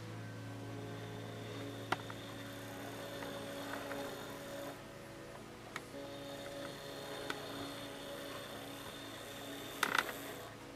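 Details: Hornby R7229 basic model train controller: steady low electrical buzz under running loco, constant drone persisting across locos and high/low switch settings and at higher speed; controller's output suspected as cause of motor buzz, not confirmed.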